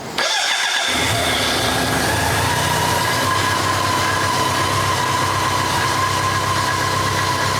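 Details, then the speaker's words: BMW K100 motorcycle project bike, not running before, started with a bit of choke: short crank, catches and settles into a steady even idle with no misses; owner notes a vacuum leak somewhere and fuel leaking out. "Fucking did it! There's a vacuum leak there somewhere, and it's fucking pissing out fuel"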